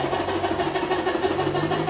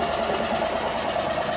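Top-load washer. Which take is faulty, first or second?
second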